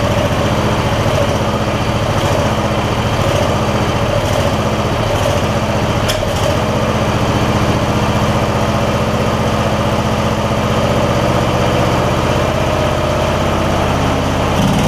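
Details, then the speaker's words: MTD Lawn Chief garden tractor V-twin after clearing debris believed to have got into the intake despite a tight air filter: even, steady low-pitched beat with no hunting or surging; running smoothly and healthy. "Let's see if I can get this thing to run smoothly. Let it run for a little while to make sure it doesn't have a recurring issue before we send it off. That's better."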